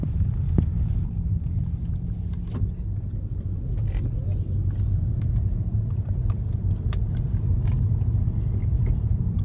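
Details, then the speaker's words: Hyundai Genesis project car bought from Copart as run-and-drive, freshly aligned, check engine light on for unknown reason: low even idle rumble with no knocks, ticks or misses; runs good and drives fairly nice. "just got to decide now if we full send it as a drift car or make it a nice daily driver because it runs good drives fairly nice"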